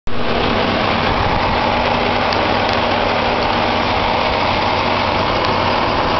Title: Engine Noise after Spray with Fan running